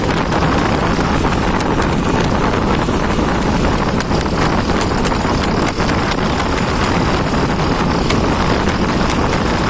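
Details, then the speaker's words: Motorcycle engine at steady idle throttle after gearbox gears were replaced and the whine cured: fast dry clatter remains, which the workshop attributes to an overly loose, worn cylinder bore (piston slap). "Kalau menurut bengkel sih katanya itu ada di boringnya tuh terlalu renggang aja ya, kurang padat. Jadi suaranya seperti motor kerek, ada ngerengkernya."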